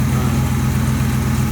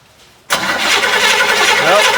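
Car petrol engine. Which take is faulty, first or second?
second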